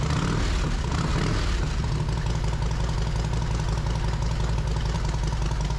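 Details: Yamaha Road Star Silverado 1700 V-twin after fitting new OEM ignition coils, plug caps, wires and spark plugs: deep, steady high choke idle while slightly cold, even beat, no misses or clatter; normal idle.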